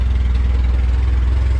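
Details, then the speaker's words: Junkyard-assembled LS VTEC engine on first start with temporary injectors, steady even low rumble, idling very low with no knocks or misses; normal idle. "Yo, this shit just turned on. It sounds freaking awesome. It idles really low."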